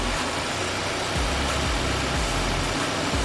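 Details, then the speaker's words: 2022 Audi Q3 with check engine light and code P2279 (intake air system leak): lumpy, shaking idle with irregular thumps; PCV valve seems fine, but hissing is heard to one side when the cap is refitted, pointing to a vacuum leak. "But guys, I don't know if you can notice when I put the cap back on, that's when I'm hearing the hissing. I'm hearing it hissing more more to this side right here."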